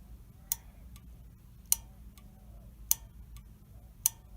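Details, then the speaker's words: Honeywell water heater gas valve, pilot valve energized directly from a battery: four crisp clicks about 1.2 seconds apart over a quiet hum; the pilot valve is opening and working. "you hear that clicking that pilot valve is opening up and working"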